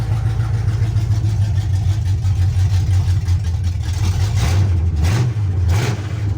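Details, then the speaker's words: 1976 Chevy C10 small-block 350 V8 just converted from a 2-barrel to a 4-barrel carburetor, first startup with the choke cable not yet wired: deep idle loads up and stumbles, surging unevenly; too much choke. "okay well it runs so sounds like we don't have we have too much choke so I haven't wired the choke cable on yet"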